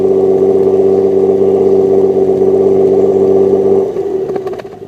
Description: Sounds sick